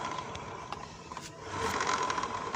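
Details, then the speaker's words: Yamaha Nouvo automatic scooter, weak initial pull: CVT normal at idle, but turning the rear wheel by hand brings faint uneven crackle and scrape over light whir; gearbox or pulley bearing suspected. "oke di sini terdengar jelas ada suara kretek kretek Entah di bagian gearboxnya atau di bagian bearing Puli"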